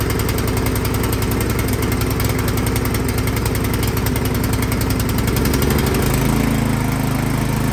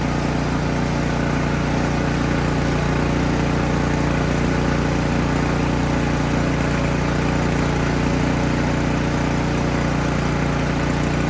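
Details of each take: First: Craftsman snowblower engine that started then died, after spraying carb cleaner into the main jet without removing the carburetor: speed rises and falls instead of holding idle; carburetor still partly clogged, fixed by removing and cleaning it. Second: Craftsman snowblower that used to start then die, after removing and cleaning the carburetor: steady even putter with a firm low note, no misses or surging; small engine idling smoothly and holding its run.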